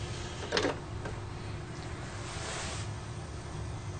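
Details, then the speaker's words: Thrift-shop original Xbox after repair, booted from hard drive with Half-Life 2 disc inserted: a click, then soft whir rising to a quiet steady hum as the drive spins up and reads the disc normally. "let's see if it recognizes the disk and if we can actually play a game on it so when it stops blinking that's usually a good sign that means it recognized the disk"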